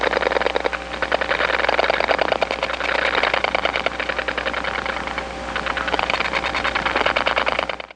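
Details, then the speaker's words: Crisp clicking pulse trains under steady hiss, heard in the receiver on a step-by-step line (1976-1981 analog network): other subscribers' strong dial pulses leaking from one trunk to another. "this is the sound of other subscribers s dialing away it's being Amplified onto the trunks because this is a step-by-step environment and the pulses that go along these trunks are so strong that they do leak from one trunk to"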